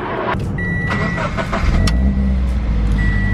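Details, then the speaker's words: Boosted Scion FR-S that had been stranded, started after repair: quick crank, catches and settles into a steady, even idle without hunting or stalling, dash chime beeping; sounds perfect. "All right, that sounds perfect. You did it."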